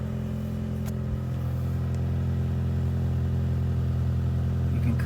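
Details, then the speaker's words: 2008 Honda Fit with exhaust noise at idle; steady low drone with a faint slightly uneven exhaust pulse, a light occasional misfire though it drives fine; owner suspects ignition coils and is replacing two. "of hear it where it's just slightly missing there was a couple and it drives just fine"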